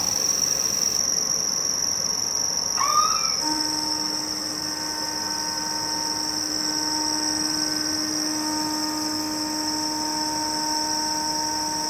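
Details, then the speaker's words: 2009 Kaeser SX 6 Aircenter screw compressor, 270-litre receiver, integrated dryer, 5,863 working hours, starting from 2.3 bar: quick rising sweep at start-up, then steady even whine holding pitch as pressure builds; normal screw compressor run. "It's currently 2.3 bars in a receiver, so let's start it up and see how it builds pressure."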